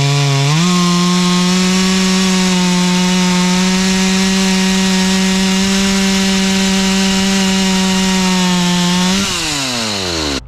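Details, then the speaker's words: Stihl 044 chainsaw rebuilt from a blown motor with a cheap Amazon cylinder, piston and carburetor kit plus an OEM coil, carb tuned for summer: climbs to a steady high scream, holds even pitch through the cut, winds down cleanly; running strong. "For a cheapy Amazon rebuild kit, I'd say it's running pretty good."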